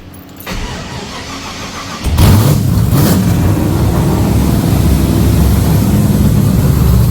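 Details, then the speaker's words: Holden HZ LS V8 swap with LS3 injectors, after swapping to the standard ECU (VATS removed) because fueling was suspect: cranks, catches, settles into fairly even idle with steady burble; running, needs a little tuning. "need a little bit bit of tune in but at least it's running"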